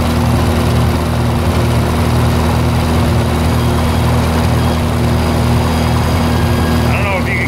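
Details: 1948 Lincoln SA-200 welder engine, long unused, revived with little work, with a short stack with resonator: a low, even, steady run with no knocks, misses or rattles. Normal, quiet running.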